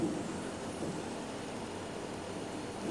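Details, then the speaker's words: Perodua Kancil, water pump spun by hand during timing belt job: a steady gritty rumble from a wobbling, rough bearing after years of use; the pump also leaks coolant by the pulley and gasket, so it is replaced along with the timing belt. "Maksudnya bearing ni pun dah bergoncang ah. Dah kasar. Yalah sebab dah pan tahun kan."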